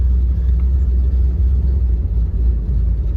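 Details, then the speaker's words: Rebuilt, tuned 1971 Chevrolet Corvette with a shift kit, giving a deep, even, low idle with no misses, knocks or hunting after a test drive; it idles low without stalling. "it idles low and i mean when it idles low it's not like uh you're gonna get to a traffic light and it's gonna stall out or anything it's perfectly tuned perfectly rebuilt"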